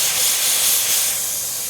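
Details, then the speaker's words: Smittybilt 5.65 CFM air compressor, four years old, in cold weather with the hose attached: continuous sharp hiss of escaping air, steady, no motor knock behind it; leak at the connection. "I'm all the way on. Listen. Hear that? There just pisses it."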